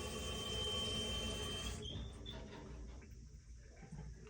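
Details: Toilet refilling: thin, high, steady squeal in the water supply pipe for almost two seconds, then cuts off into water trickle; pipe squeal when toilet fills.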